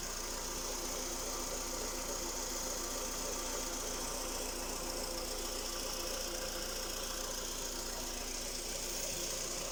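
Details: Skoda Rapid 1.6 CFNA 105 hp petrol engine at idle: fast irregular tapping over a thin, hissy engine note; a clear internal knock, owner asks what is knocking, cause not yet pinned down.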